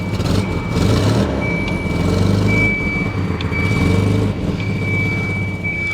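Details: 1984 Volvo 245 parts car, 91,000 miles, being revved: rough revving with a raspy puffing chuff rising with revs under a steady high chime; definitely an exhaust leak.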